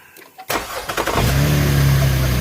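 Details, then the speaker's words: 2012 Chevy Impala police edition, 3.6L V6, after serpentine belt and tensioner pulley replacement: brief crank, catches at once and settles into smooth steady idle with no belt squeal or chirp; normal start. "That's how it's supposed to start. Turn it off."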